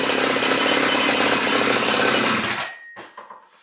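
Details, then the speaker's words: Husqvarna 372XP chainsaw with its Walbro carburetor just rebuilt (it used to stall instead of idling when warm), L screw set about 1¼ turns, started on a dry carb: revs hard with a crisp, even buzz and cuts off cleanly; runs normally. "Not bad. The real test will be when I take it out and I use it for real."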